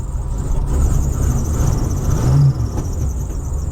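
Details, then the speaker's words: Vintage RV engine warming up on a winter start, deep rumble being revved with a faint high belt squeal at the alternator riding on top; a chronic squeal still unresolved. "show you alternator is still you can hear the belt squealing down here not you know it's one of those chronic things I'm still trying to work on"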